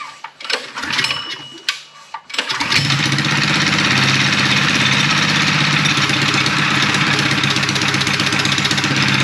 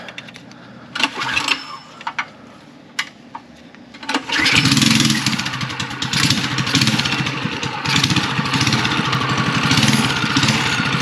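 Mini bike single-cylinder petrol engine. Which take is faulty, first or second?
second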